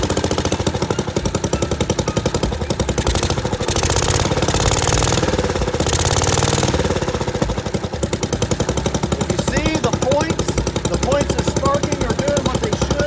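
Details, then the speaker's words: 1963 Wheel Horse 753 garden tractor single-cylinder engine, first start after sitting, with the carburetor, ignition coil, air filter and spark plug replaced: a steady, even firing beat with no misses, running properly. "woohoo and it runs all right now I know the doesn't work so I'm going to have to get that replaced but the thing is"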